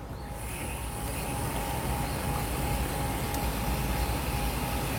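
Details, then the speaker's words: Steady rushing water with a faint constant tone and no banging or shuddering. The water-hammer pipe vibration is gone after fitting a sealed, capped upright pipe fix. Flow stays smooth as the outlet height is varied. "Oke, sejauh ini tidak ada masalah ya."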